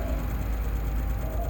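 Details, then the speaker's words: Electric scooter hub motor after replacing the burnt controller (computer) with rewired connectors, throttle applied: deep steady hum with a light even whir, no grinding or cutting out; motor runs normally. "Hozir gazni bossam mana yoqqanda. Bismillah. Yurdi mana."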